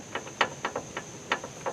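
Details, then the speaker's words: Irregular dull clunks, about seven in two seconds, as the front lower ball joint of a 2004–08 Ford F-150 with a 3-inch leveling kit is rocked by hand: a worn lower ball joint that needs replacing. "hear how worn out this lower ball joint is yep definitely time for new ball joints"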